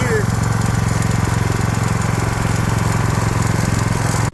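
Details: Craftsman snowblower single-cylinder engine after carburetor cleaning and fitting a fuel shutoff valve: quick, even putter at steady speed with no surging or hunting, then shuts off; running normally.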